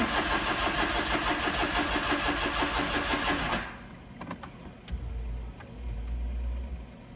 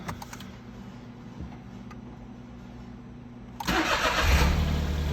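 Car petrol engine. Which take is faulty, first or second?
first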